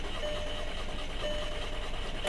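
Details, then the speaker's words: 2007 Volkswagen Passat 2.0T FSI, about 179,660 miles, salvage car with new battery: starter cranks evenly, tach flickers and it briefly tries to fire but never catches; crank, no start. "I've had this car attempt to start about five times and every time it acts like it's gonna kick off and run that tack moves when the tack moves you'll hear it for a split second try to fire"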